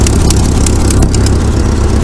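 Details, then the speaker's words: Ford 8N tractor after distributor and points work; the owner suspects the ignition switch was the real fault. It has a loud, even chuffing idle with crisp regular firing pulses and no misses. Normal idle. "all right that's enough for now that runs"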